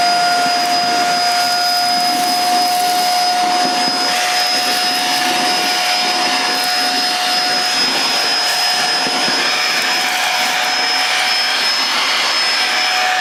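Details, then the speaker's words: Bissell Featherweight Pro 2-in-1 vacuum used as a handheld after picking up flour, oats and rice: steady high whine with a raised motor tone and rushing airflow. Owner suspects flour has clogged the filter again. "Now again, you can hear the tone of the motor has gone a bit higher, and again that is due purely, I think, the flour has done that. It's clogged the filter again."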